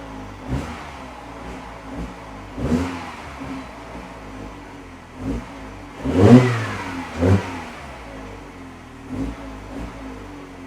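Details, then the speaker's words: Mini Cooper R56 that misfired when cold, after the fix (sensor replaced). Cold start at 33°C coolant, climbing to 47°C. Throttle blips rise and fall cleanly without stumbling; no misfire. "yeah when i was kind of like just flipping the throttle was was kind of misfiring and it's definitely behaving itself now temperature climbing as it should that sounds good to me"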